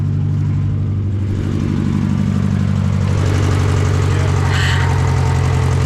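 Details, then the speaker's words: Honda Civic that sat about 10 years: a low, uneven idle thumping about four per second with a wavering beat, running rough like a misfire. Owner suspects a stuck injector; it later seemed to run out of fuel. "hopefully it doesn't have a stuck injector causing that cylinder misfire there we go what is going on"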